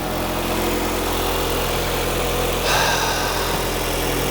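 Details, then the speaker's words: 2003 Nissan 2.5L after timing chain and water pump replacement: steady, even idle with a smooth low hum, no knocks, ticks or shaking; normal idle. "Look how smooth that is. No shaking, no nothing. It's solid. No noise. Above all else, no noise. That there sounds like a happy engine."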